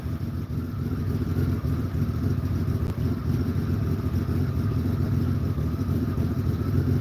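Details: Motorcycle at steady highway cruise, about 3,200 rpm in top gear; loud, even exhaust drone at constant revs with no misses, pops or knocks, pulling cleanly — normal steady cruise.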